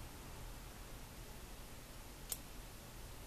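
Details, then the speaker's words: 1925 Ford Model T, new Texas T Parts distributor being installed, key on, battery connected, old plug wires on, distributor turned until plug fires; quiet then one sharp spark click marking correct static ignition timing point. "did you hear it that's where you want your timing"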